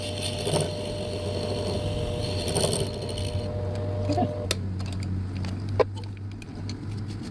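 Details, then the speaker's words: Lathe boring the inside diameter of a homemade bench block toward the back wall, with a rough scratchy chattering cut fading to scattered clicks over the motor hum; chattery but the bore looks good. Noisy boring cut. "Oh, that's a beautiful boar. Sounded like garbage, but you know what? Looks good."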